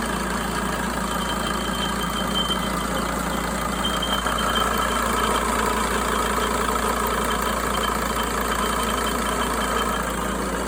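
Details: 2004 Sprinter diesel idling steadily with a thin high whistle faintly over the clatter, most noticeable midway; source of the whistle unclear.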